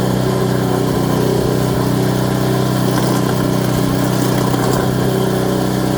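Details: Craftsman Series 2 snowblower bought at auction, small single-cylinder engine with points ignition, run after reassembly and continuity check: steady, even idle with no misses or knocks; running cleanly, normal idle.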